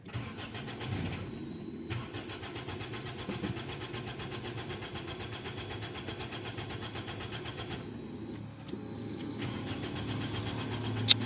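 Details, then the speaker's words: 2003 Toyota Corolla XLi that won't start after clutch plate installation, just after fuel pump motor replacement with full fuel pressure: starter cranks in two bursts but engine never fires; a poorly seated fuel pump ring is said to send half the fuel back to the tank. "جو ہے نا ابھی بھی start نہیں ہو رہی ہے"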